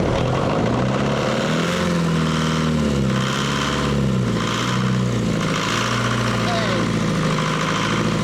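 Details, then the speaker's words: Leyland 154 tractor diesel restarted after restoration work, with the diesel pump still leaking. An even clatter at about 1,200 rpm shows great oil pressure, with no knocks or misses: normal running. "It's running. Here's what we're seeing on the dash. Great oil pressure running at about 1,200 RPM. Oh, she sounds good."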